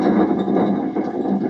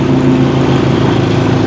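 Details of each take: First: Bad Boy zero-turn mower deck with pulleys off: turning the center spindle by hand gives a dry, gritty grinding with a good bit of play, from worn spindle bearings. The deck screamed with the PTO on; the spindles were replaced. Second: Bad Boy zero-turn mower, PTO engaged, after replacing blades, spindles and two idler pulleys with worn, noisy bearings that caused a deck scream: even, steady engine drone, no grinding or squeal. Normal running.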